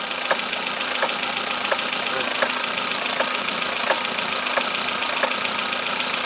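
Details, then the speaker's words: Kia Picanto, previously in an accident: sharp clicks about every three-quarters of a second over idle as the steering is turned left and right, a worn steering column joint knocking; the only fix is replacing the column. "هذه الصوت اللي تسمعوا فيه هو فصل الكاميرا اللي داخل."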